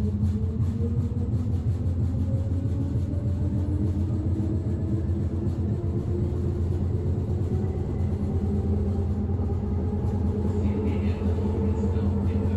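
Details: Berlin S-Bahn BR485 railcar 485 112-7, built 1991, onboard ride Schönfließ–Hohen Neuendorf on S8: heavy steady low rumble and rattle throughout; severe wheel flat spot makes it ride rougher than usual.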